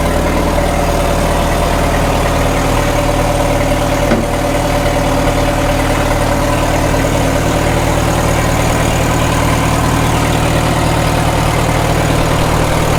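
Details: 1936 Caterpillar Twenty-Two tractor, restarted with a little choke after possibly running out of gas, after sitting for years: a slow, steady thumping idle with no stumbles or misses, and the carburetor is judged to need no adjustment. Normal idle.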